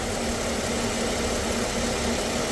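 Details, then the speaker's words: 2013 Lexus ES350 V6 (two-bank engine) after replacing the automatic alternator pulley that caused a loud noise with A/C on; now steady even idle hum with A/C running, no squeal or rattle; normal idle with A/C on. "AC चालू है। कोई आवाज नहीं है। बिल्कुल brand new एक पुली की वजह से इतना साउंड आ रहा था।"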